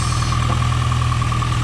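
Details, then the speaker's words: 5th-gen Honda Prelude idling with fuel pressure about 45 psi and no leaks, before fuel pump replacement: smooth steady idle, constant low hum with a faint even whine, no stumbles or knocks; not acting lazy, idles as it should. "Well, just idling and revving it, it does like it's supposed to."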